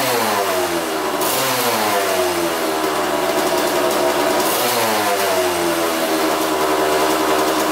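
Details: Kawasaki two-stroke dirt bike that sat outside, running on 40:1 premix after a new fuel line, with an aftermarket carb and no air filter: crisp, clean revs through several blips, pulling strong. Normal running, though coolant leaks from a gasket suspected to be torn.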